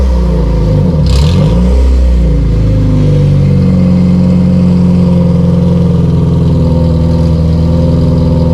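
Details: Honda CRX LSVTEC with canister muffler, before replacement: a quick blip, then a loud, raspy, droning exhaust held steady. Owner suspects the canister baffle is broken; very loud on the freeway; loud raspy exhaust.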